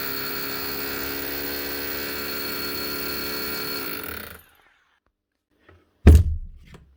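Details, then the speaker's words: Dewalt D25033 SDS hammer drill after the spring, fan, air deflector and grease were fixed: it spins up to a steady, even hum with a clean motor tone for about four seconds, then switches off; running healthy. "that's her now I don't know which of those problems were the original problem but it's running now"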